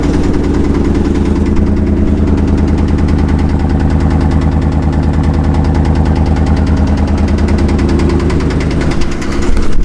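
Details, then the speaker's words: Pickup truck at idle: low loose heavy knock about two to three beats a second, otherwise runs perfectly with no miss and good oil pressure; seems to come from one side; lifter suspected, engine has anti-lash followers. "It was rapping pretty heavily. So this is what I heard. Yeah, it's a hell of a knock, huh? Truck runs perfectly, doesn't have a miss."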